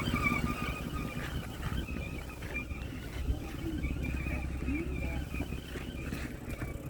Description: 2011 bmw x3. I have this intermittent whining noise from engine area. can't figure out what it is.